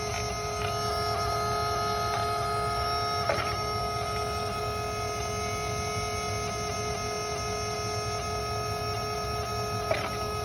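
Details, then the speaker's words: 2003 Dodge Ram 5.9 Cummins diesel lift pump running with a steady electric hum and occasional clicks after replacing a gummed-up return line; earlier horrible noise gone, pumps primed, but truck still won't start: normal fuel pump operation. "Now it doesn't make that horrible noise that it was making. So I'll let you guys hear it."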